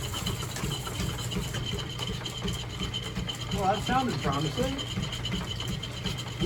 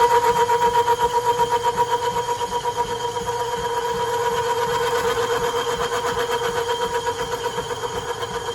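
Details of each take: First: Boring a cast iron pulley dry with a high-speed steel tool in a lineshaft-driven machine shop: steady low drive rumble with dry scraping chatter, briefly breaking off where the casting has an inner hollow; normal dry cutting noise. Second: Cast iron pulley being bored on a lineshaft-driven machine shop lathe with a small tool holder, to fit an 1870s thickness planer: steady chattering cut about four ticks a second that pauses mid-pass where the tool crosses a hollow inside the casting.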